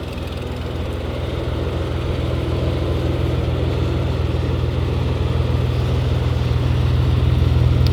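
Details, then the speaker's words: Toyota FJ62 Land Cruiser (62 series) six-cylinder with a sketchy putty-sealed, possibly clogged fuel filter and a compression test still pending; a steady, even low rumble at idle with no knocks, ticks or misses. "she purs pretty pretty quietly um like I said engine runs pretty good"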